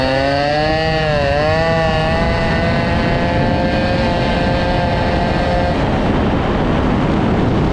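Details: Small two-stroke moped with a new BOOST cylinder head, air hybrid, during break-in: a loud buzz whose pitch wavers, then settles into a harsh steady roar; loud engine noise, cause unclear.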